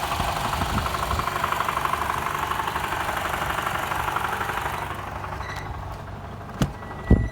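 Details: A Toyota Camry XV50 2.5 L idles with a dull knock about twice a second and vibration under load, fading to a light rattle without load; fixed by replacing the balance shafts.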